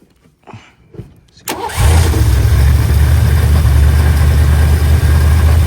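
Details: Mustang 5.0 V8 with an owner-built carburetor, air cleaner off and a vacuum gauge below the base plate: the starter cranks briefly, the engine catches with a blip, then settles into a steady, low, even idle.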